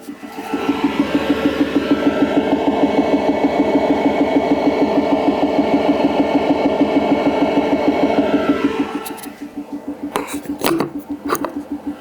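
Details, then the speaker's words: Wash 3 Ultra wash station after leak repair, mic held to pump, tanks full: even rapid pulsing hum about three beats a second, no load change; pump runs but will not draw liquid from tanks. "so that's all it will do it will not pull water um from the tanks which are full"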